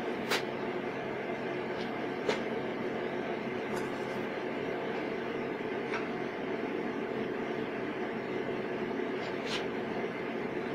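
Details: MIG welding at maximum voltage on 1/8 in (3 mm) metal with shielding gas at 3 L/min: a steady, even frying crackle with only a few sharp pops, the wire speed set correctly.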